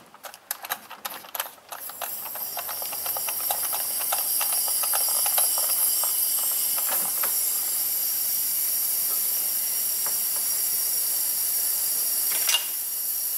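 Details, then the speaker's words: 2007 Honda Ridgeline 3.5 V6, 78–79k miles, rough running and misfire with low cylinder contribution: engine stopped, cylinder pressurized with valves closed, steady airy hiss of air escaping past the piston into the crankcase. "we're going to have to open this throttle this should be straight in right that's just crank case gas isn't it"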